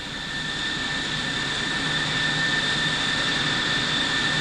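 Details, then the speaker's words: F-111E jet engine ground run at idle, April 1990, RAF Upper Heyford, with good hydraulics and oil pressure. A steady roar with a clean, constant high whine, no surging or grinding. Normal idle. "good climb, got good hydraulics, got good engine oil. Light generator, chassis stabilizing at 520, 510."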